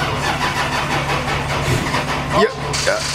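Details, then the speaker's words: Lexus: sluggish uneven cranking that nearly catches then dies; weak battery, jump-started with cables afterward. "so close well it wanted to but it didn't so we brought some jumper cables we're gonna jump it really quick"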